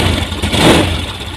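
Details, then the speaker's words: Honda Scoopy FI scooter, still new, idling low and steady at about 1300–1350 rpm with a soft putter. The ECU has not recorded the altitude mode, so idle is too low; sensors and parts are said not to be faulty. "Sekarang kita lihat putaran mesin di sini berada di 1300 lebih kawan ya, 1350-an."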